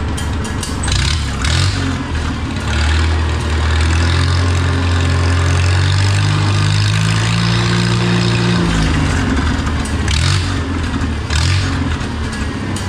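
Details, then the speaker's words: Oliver 66 tractor with replacement Marvel Schebler TSX carburetor after idle mixture adjustment: engine picks up smoothly from idle, pitch rises and holds evenly, settles back without stumbling; throttle response restored in first notches; normal throttle response. "But now I've got throttle response right after, you know"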